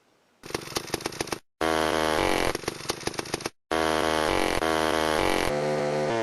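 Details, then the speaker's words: Homelite Super XL chainsaw with 20-inch bar, old auction saw: crisp, even two-stroke buzz that revs cleanly and holds steady between short cuts; normal running, needing only minor tuning and chain sharpening. "well that was almost too easy thing runs pretty decent use a little bit more tune in here and there sharpen that chain up"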